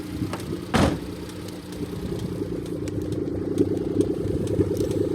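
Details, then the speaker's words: 1993 Suzuki Carry kei truck, custom built: quiet, even idle at about 700-800 RPM with a light, steady tick from the fuel regulator maintaining idle; normal. "You can hear it's running quiet as a mouse now that it's going about 700, 800 RPM. The ticking that you're hearing is the fuel regulator for the gas to maintain the idle."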